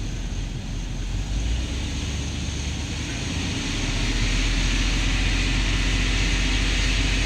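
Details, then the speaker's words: Chevy truck, cooling system just repaired: scan shows lean and misfires on both banks with short-term fuel trims maxed; throttle blipped, deep uneven roar with lumpy stumbling beat, rough running, later blamed on a massive vacuum leak somewhere. "All right, so the cooling system on this Chevy is all set, but I noticed it runs pretty rough. I could feel misfires."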